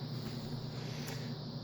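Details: Horizon Hobby Spitfire 1.2m rudder servo after repair, replacing a stripped gear that had lost one tooth. A short, steady low whir with even tone, no grinding, skipping or clicking. The gears mesh cleanly.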